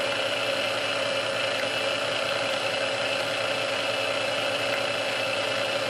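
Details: Restored Sunbeam Mixmaster Model 12 that had been quickly overheating its rebuilt speed resistor, after swapping all internal parts: smooth, even hum with steady whir on first (low) speed for about 2 minutes, no labouring or speed creep; original cause unknown.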